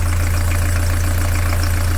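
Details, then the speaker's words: Narrowboat diesel engine after new engine mount, alignment and gearbox swap, at tickover with weight leaned on it: deep steady thump with even beats and no knocking, previously knocked when leaned on; normal idle. "give it a clean down and then there we go no more knocking going to lean on it"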